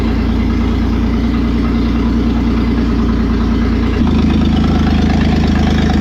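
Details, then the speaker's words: Toyota 4Runner 3VZ-E V6 after engine repair, exhaust and vacuum lines not connected: steady even idle with evenly spaced loud exhaust pulses, running on all six or at least five cylinders, normal running. "okay I'll say it runs and it runs on all six or at least five of them"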